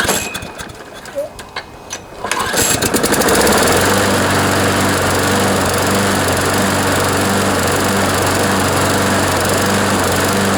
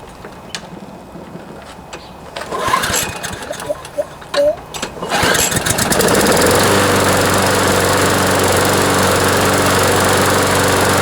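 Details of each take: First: John Deere JS26 push mower with a Briggs & Stratton engine, after fuel system cleaning, new plug and air filter: hard pull start, then a fast steady beat with occasional skips and vibration. Owner suspects a partially sheared flywheel key after the blade hit something. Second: John Deere JS26 push mower with a Briggs & Stratton engine whose blade hit something hard, after a cable replacement and fuel system cleaning; it catches after a few pulls and settles into a steady drone. Improved, but still vibrating, likely from a bent crankshaft.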